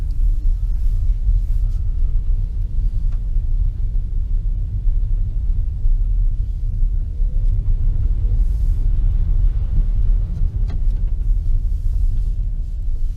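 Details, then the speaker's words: 2015 Nissan Leaf after lubricating front stub axle splines and resecuring hub nut, gentle acceleration and regen braking on wet muddy road: low smooth road rumble, no clicks or clunks; front driveshaft click fixed. "this is a hideously muddy road so and it's also wet so you can't get complete silence on the road surface but i hope you can tell that it's not doing what it was doing before in terms of that click as we were accelerating and"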